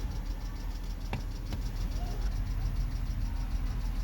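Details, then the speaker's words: 2007 BMW X3 with rough idle and stalling, air-mass faults 2A82/2D06, after replacing the mass airflow sensor: low, smooth, even idle with no hunting or surging; idle now steady. "Well, it's most definitely not fluctuating. I've changed the mass airflow and it seems to be steady."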